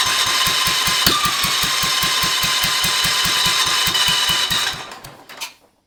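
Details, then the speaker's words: Kohler K301 engine on Cub Cadet 582 pulling tractor build, first fire-up with temporary fuel tank and jump pack, choke off: even cranking about four beats a second never catches; weak spark, later found to be a bad condenser, replaced. "Trying to fire. All right. I think I need to adjust the points. I did check it. It did have a spark, but it was a weak spark."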